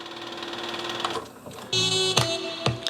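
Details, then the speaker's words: Nakamichi LX-3 cassette deck, barely used: irregular clunks over the transport whirr during rewind, louder as it speeds up; wow and flutter fine; owner suspects the idler tire, replacement ordered. "but that knocking noise this knocking noise and then you [Music] know the rewind is getting even louder"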